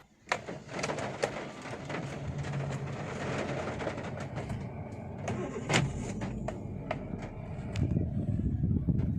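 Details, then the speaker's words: Chevrolet Beat petrol, 143,000 km, after repair of a no-start-when-warm fault (codes P0342, P0037): after a 10 km test drive, warm restart with a brief crank, then immediate catch and an even, steady run; repeated restarts fine. "with single self try for 2 to 3 times stop and start nothing problem for re-start all done, perfect, solved guys"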